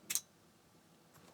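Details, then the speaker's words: Schneider PC 7640 laptop hard drive powered from a beefier external supply: one sharp click, then near silence with no spin-up whir; drive does not spin, cause unconfirmed. "I heard a click out of it but that's it"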